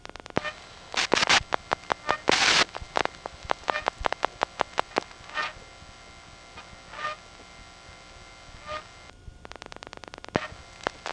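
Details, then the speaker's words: GEdney 9 panel telephone office, Brooklyn NY, 1977, call over a direct trunk to another panel office: sharp relay clicks and normal revertive pulsing as the last four digits are dialed, with a faint squeak every couple of seconds; squeaky motor shaft. "Then, as he dials the last 4 digits, revertive pulsing will proceed in the normal pattern, and while all of this is going on, you'll also hear the squeaky motor shaft."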